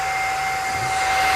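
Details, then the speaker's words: GX CS3 high-pressure compressor after O-ring repair (four O-rings replaced), deadhead set at 4500 PSI: cooling fans spin up with steady even rush and constant tone, no rattles or rubbing; normal before pump start. "Fans came on. We got that part good."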